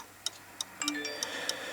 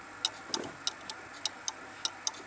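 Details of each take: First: Pendulum clock after being shifted back while setting the beat: crisp tick-tock about three beats a second with fairly even spacing; close to in beat, about the best adjustment achievable. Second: Pendulum clock being put in beat by shifting it: ticks come in uneven pairs, short gap then long gap, about a hundred per minute; moved too far, now completely out of beat.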